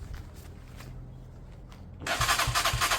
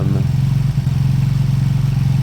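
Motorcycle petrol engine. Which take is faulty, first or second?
first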